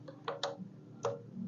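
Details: Honda PCX keyless system after a no-connection fault, revived by jumpering a keyless CPU wire: a few crisp, quiet clicks in quick succession, then silence as the lock solenoid switches off normally via remote, working again without the jumper.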